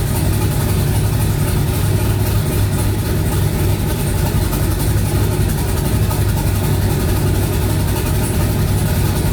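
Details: Twin-turbo 5.3 V8 New Edge Mustang on first start after wiring, warming up with fan set at 180: low, steady rumble holding an even idle, no ticks or misses; running fine.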